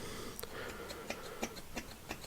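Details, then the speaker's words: 1948 Ford Prefect E93A AC mechanical fuel pump, overhauled with new-old-stock parts and new lid and bolt seals, lever worked by hand off the car: crisp, uneven clicks about every third of a second; pumping cleanly. "so that's all back together in tickety-boo and it sounds a lot healthier now there's a proper sort of i don't know if the microphone will pick this up or not it sounds"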